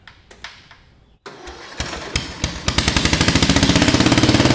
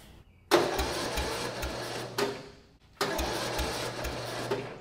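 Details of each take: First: Lowered Murray riding mower single-cylinder, first run after new exhaust header, full choke, weak battery, starting fluid: a few cranking thumps, catches and settles into quick even bark speeding up steadily; normal start and run. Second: Murray riding lawn mower engine, first start after lowering build with new exhaust header, full choke, battery charger connected: two short uneven cranking bursts dying after two seconds; cranks but won't start, owner suspects weak battery.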